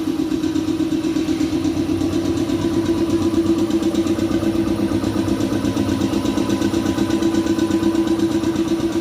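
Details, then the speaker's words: Shark 1 HP two-cylinder belt-driven air compressor (550 rpm, 83 L tank) filling the tank after pressure was released: a steady even piston thump with a smooth hum. It runs normally and fairly quietly. "ya beginilah suaranya jadi dia kalau kita bekerja tidak terlalu terganggu suaranya karena ini lumayan halus ya dengan kapasitas satu HP"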